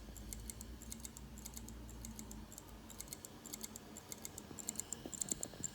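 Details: LaCie Rugged 4TB USB-powered 2.5-inch drive, about six months old, rarely used, never dropped, not recognized by Mac or Windows: faint, sharp, irregular clicks in clusters; drive failing, cause unconfirmed.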